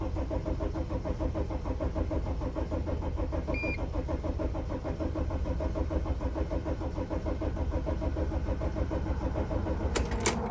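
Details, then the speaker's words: 2006 Dodge Sprinter diesel, crankshaft position sensor fault blamed, mass airflow sensor checked: steady starter churn about three compression beats a second for ten seconds without firing. The MAF check did not help. Crank no start. "Wow, this is worse than I thought. So anyways, this mass airflow sensor situation did not help anything."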